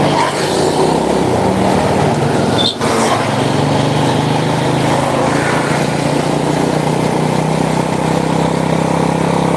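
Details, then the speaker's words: Honda Supra motorcycle shipped in by cargo in a box, after workshop overhaul of a badly damaged engine; steady even exhaust note staying smooth through the revs, no knocks or rattles: normal running. "ini dia nih kalau masih ingat sekarang dengar suaranya ah halus kenyes-kenyes larinya juga udah enak"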